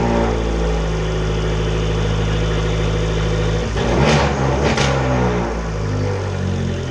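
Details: 2013 Fiat 500 Abarth first start after DIY front-mount intercooler install: smooth, even idle with one quick throttle blip that rises and settles back; no knocks, misses or leaks; normal idle.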